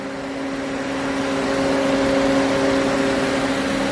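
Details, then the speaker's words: 2009 GM truck with 5.3 LS V8 just after first startup following a camshaft locator pin repair, engine cold: steady even whir with constant tones over a quiet idle, slight clatter; cooling fans running when they shouldn't, cause not yet found. "that's not right though the fans shouldn't be running right now so I got to figure out what's going on there"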